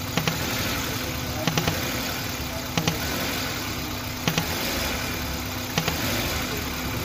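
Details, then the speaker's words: Old-model Maruti Suzuki Wagon R at idle: constant hissing rush with a faint double click every second or so; vacuum leak because a hose with its small valve had come off. "इसमें छोटा सा valve होता है जैसे अ Backstreet करते हैं तो एक कनेक्शन चालू हो जाता है और यह उतरा हुआ जिसकी वजह से आवाज आ रहा था ना की प्रॉब्लम था"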